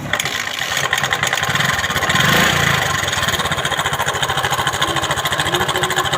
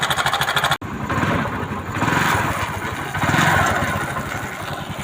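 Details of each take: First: TVS XL 100 Heavy Duty moped before timing chain replacement. Loud, rough clattering rattle over a fast, uneven idle; the noise is very bad. Worn timing chain that needs replacing. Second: TVS XL 100 Heavy Duty moped after timing chain replacement. The small single-cylinder putters at a fairly even idle with a steady beat and no knocking or chain rattle. The noise is gone; normal running.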